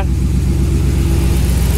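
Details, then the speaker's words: Dodge RAM 1500 2nd gen with swapped 5.7L HEMI V8 on Holley Terminator X EFI, 727 transmission, first runs with coated exhaust: deep steady warm idle, even pulses, no misses or knocks; sounds healthy, fan rattling on shroud noted. "sounds pretty decent though let her do her thing"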